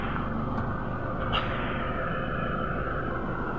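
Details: Toyota Hilux automatic diesel, which would not start due to a loose wire at the park position switch, now started: steady even drone with no misses, knocks or rattles; normal running.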